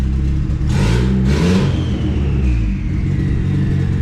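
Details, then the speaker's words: Turbocharged car called Wago on a base tune before street tuning, distributor timing not yet set with a timing gun: revs cleanly twice and settles to a smooth, even run with no misses or stumbles; normal running. "we're getting ready to go street tune got everything running decent so now we need to go grab the timing gun from my house"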